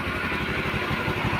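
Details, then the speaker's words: Honda Vario 125 (KZR) scooter that kept dying when hot with code 52 (CKP sensor), after repair and radiator coolant refill: quick, even low thumping at a steady idle with no stumbling or dying out; normal idle. "Ini hidup normal ya."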